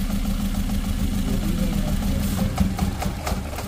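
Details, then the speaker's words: Ford Figo petrol/CNG with bad vibration, spark plug wires pulled one at a time (cylinders 1 and 3 tested): lumpy uneven idle with irregular chuff and shake; misfire worsens when a working cylinder's wire is removed. "समझ में आया कुछ कहानी कि इसको निकाल रहे हैं तो मिशिंग बढ़ जा रही है"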